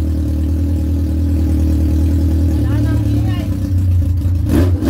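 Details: Yamaha R1 inline-four, first start after engine knocking repair, cooling system not yet flushed: idles smoothly then revs up cleanly with no knock or tapping underneath; sounds healthy.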